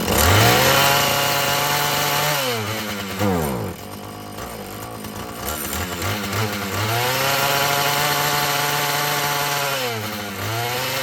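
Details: Husqvarna 445 chainsaw that had bogged when throttled, after cleaning and tune-up: it climbs cleanly to full revs, holds a steady high tone, then drops back and revs again without bogging; it runs healthy, though more adjusting may be needed as the diaphragm loosens.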